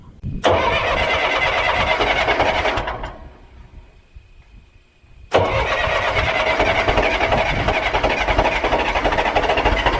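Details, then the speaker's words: John Deere 410 backhoe diesel, first-ever start after a complete engine rebuild, oil dumped into cylinders beforehand so smoking: slow labouring crank, then catches and settles into a steady, even idle clatter; normal start and idle. "uh now it's a little bit slower starting there like i said that's first time starting it smoked a lot because we had a bunch of stuff we dumped oil and sat down cylinders"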